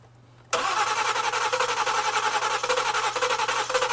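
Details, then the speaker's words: 2014 Ford Explorer 3.5 L crank no-start, after dead battery replaced, with fuel pressure, injector pulse and spark present; starter churns at a fast uneven rhythm, engine stumbling as if trying to catch but never firing, from fuel-fouled spark plugs. "we're not missing anything and we can H hear that Cadence kind of started to catch on it wasn't doing that earlier no it was not"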